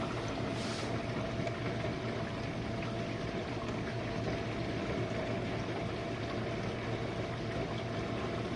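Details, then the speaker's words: Used Jenn-Air dishwasher running a quick wash, started to clear a smell: an even, unbroken hiss of spraying and sloshing water over a soft motor hum with no grinding or rattles, sounding good and seeming to use little power. "Oh, that sounds really good. Oh, it's using not much power."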